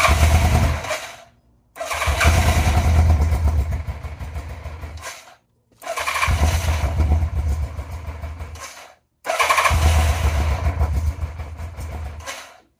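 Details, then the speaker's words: 1987 Yamaha FZR 1000 Genesis after freeing stuck throttle cables that held throttle plates open and tightening battery leads: four cranking bursts with short pauses, never catches; owner suspects the missing airbox lid. Cause suspected, not confirmed. "So I am missing a lead for my airbox, and I'm pretty sure that's probably what is messing with it right now, but let me give it a shot."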